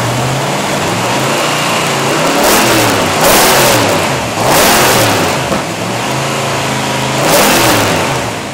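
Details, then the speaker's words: Engine converted from carburettor to fuel injection: clean starts and repeated quick revs rising and falling smoothly, crisp throttle response, no misses or pops; normal revving. "it is very uh reliable starts up every single time excellent throttle response"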